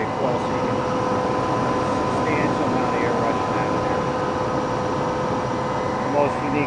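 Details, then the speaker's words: 20 hp twin-tower integrated rotary screw compressor, cooling fan blowing, heard from the intake side and top exhaust: steady, even rush of air with a faint constant hum, no knocks or rattles; fan running normally. "right now the fan is blowing should be able to hear it"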